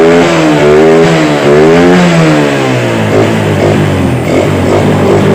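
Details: Yamaha Vega R after carburetor service and refit: small single revs up and falls back cleanly with smooth, even pull and no misses or rattles; runs normally.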